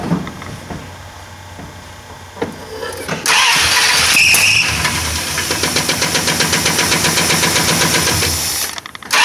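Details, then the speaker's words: 1969 Plymouth Fury 383 V8 first start after a Mopar points-to-electronic ignition conversion, with timing possibly off; it cranks, catches, then a fast even ticking clatter, which the owner suspects came from the distributor-driven oil pump priming before oil pressure returned. "Good. I think that noise was the fact that the oil pump is hooked to the distributor and she had to prime or step up or whatever."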